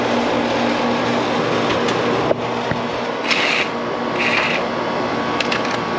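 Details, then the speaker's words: Outdoor AC condenser unit, about 15 years old and never serviced, with a loud-noise complaint though it cools well: constant rough whirring, steady hum and rattly bursts from the condenser fan; worn fan motor bearings suspected, fan amp draw judged low, fan to be replaced. "they say it does cool well just making a loud noise i think i hear myself might be that fan mode"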